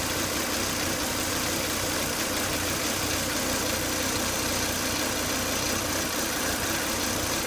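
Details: Volvo S80 2.5T: after 10–20 minutes running, steady hissy whine over idle, strong vacuum sucking at oil cap; failed crankcase breather, solved by replacing breather box/filter.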